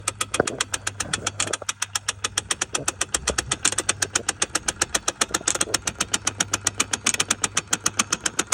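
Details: 1986 SL560 cruise control actuator with cruise switched off: sharp, fast ticking about four to five a second over low engine idle; actuator suspected, not confirmed.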